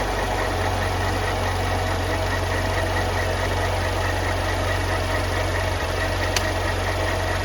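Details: 2013 BMW X5 xDrive35i on first startup after a serpentine belt replacement for a slight squeak: a steady low drone with an even, unbroken hum and no squeal or chirp, a smooth idle with the new belt fitted.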